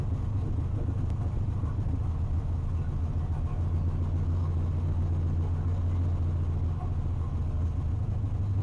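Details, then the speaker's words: Drag car with Holley EFI (HP Dominator) after tuning IAC, IAC parked position, cranking fuel and prime percentage, started at about 100 degrees with no throttle: steady even low rumble, clean stable idle, no hunting or misfire. "I'm just gonna crank no throttle no anything and we're gonna see how long it takes for it to start at 100 degrees"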